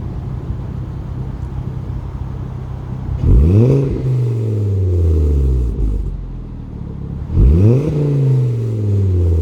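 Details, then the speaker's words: 2011 Volvo C30 T5 R-Design with aftermarket sports exhaust and 3-inch downpipe: revs climb and fall twice, raspy buzz riding the exhaust note on deceleration from about 2,500 rpm; rear muffler buzzing. "My exhaust muffler, the muffler in the back has been buzzing. Okay, it's been driving me nuts."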